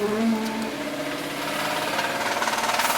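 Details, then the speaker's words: M3 car unmoved for 2 years, pulling away in first gear: heavy regular knock about four per second under the engine, sounding like a tractor, no check engine light; worn bottom end suspected, not confirmed. "Yeah, that definitely does not sound good. But no check engine light. Sounds like a tractor."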